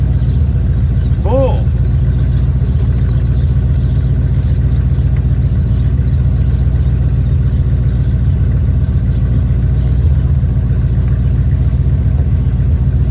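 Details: Chevy square-body barn-find truck, automatic V8 (called a 350), after timing set by ear and a distributor, carburetor and ignition tune-up: even, steady idle burble with a regular low pulse, no misses or knocks; motor running decent.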